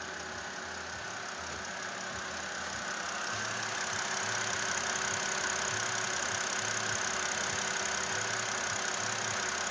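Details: BMW 528i with N52 petrol inline-six idling steadily; fast, light ticking runs through the engine-bay hiss: engine ticking at idle.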